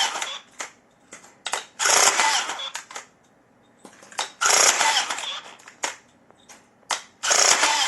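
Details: Electric rebar tying gun tested after repair with an ordinary spool from a general batch: crisp whirring bursts every two to three seconds, cut off cleanly with sharp clicks between; spool stops properly, wire doesn't unravel, normal cycling.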